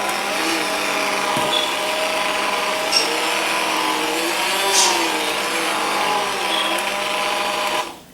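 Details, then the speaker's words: Aldi Ambiano cordless hand mixer with stock motor (no cooling fan, motor getting hot), on speed two in thick dough: whirring pitch repeatedly sags and recovers; weak motor bogging down under load. "it right it's speed two you can hear it's really bogging it [Music] down"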